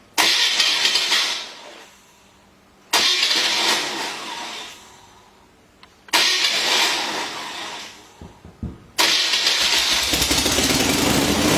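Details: Freshly rebuilt motor on a testing stand, finished about an hour earlier and already run, head bolts retorqued after warm-up: three short starts and rev bursts, then a steady loud run with crisp, even firing and no knocks; healthy engine.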